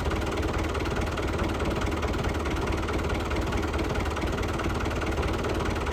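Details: Lifan 7hp GX200-clone engine on a Frontier OS18 sawmill, started outside in the morning after repairing a zero-compression blown head gasket (loose bolt), retorquing and setting valve lash. Steady, even single-cylinder drone without misfire or surging. It has power and sounds okay.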